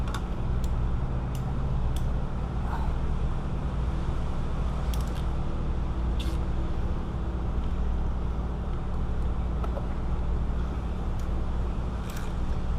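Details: 2005 Nissan Maxima 3.5 after replacing both camshaft position sensors: steady even low rumble, no ticking, misfire or stumble over traffic noise; runs smoothly.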